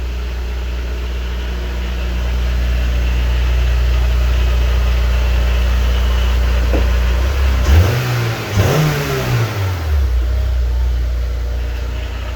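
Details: Honda S2000 after replacing faulty MAP sensor (code P0108, engine cutting out), connector clipped and o-ring fitted: steady even idle, quick rev, settles straight back smoothly without stumbling or cutting out; fixed, normal idle.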